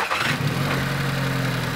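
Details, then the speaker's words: Volkswagen GTI with GDI engine started up: catches and settles into a loud, clattery idle over a steady low drone; suspected carbon buildup causing poor lubrication and rattling, not confirmed. "you can easily hear the noise it's making the gdi engines have a tendency of carboning up and you get a lot of engine noise as the carbon builds up things aren't lubricated right you hear rattling"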